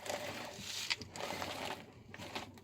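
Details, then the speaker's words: Audi 80 B4 after replacing the stabilizer link that caused a squeak when steering: soft scuffing and crunching as the wheels are turned back and forth, no suspension squeak now. "Обратно. Никакого скрипа нету. Все-таки в ней было дело."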